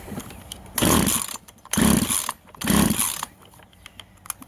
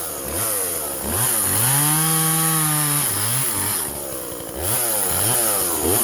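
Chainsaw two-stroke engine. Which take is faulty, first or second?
first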